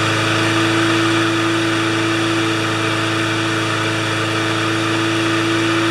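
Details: Lawnmower, clean gas, first run since last year. Small single-cylinder engine settles into a steady, even putter with a constant tone and no misses. Normal idle.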